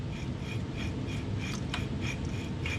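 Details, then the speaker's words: Front hub bearing from a 2010 Chevy Silverado 1500, removed and turned by hand, gives dry, gritty rasping strokes. The bearing is shot; it was not terribly noisy in the cab, but the grit will be loud under vehicle weight on the road. "that little bit of grit inside there once the weight of the vehicle is on this bearing going down the road it's going to make a whole lot of noise"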